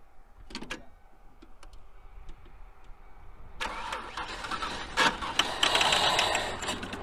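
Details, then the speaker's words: Ford Aerostar that sat about 15 years, cranked on an old, weak battery with starting fluid sprayed into the throttle body: it catches roughly with uneven sputters but won't keep running. Fuel pump suspected dead, not confirmed. "okay so fired off a starting fluid SS good no so uh that kind of confirms confirms the ass the suspicions about fuel pumping shot after sitting oh I don't know 15 years"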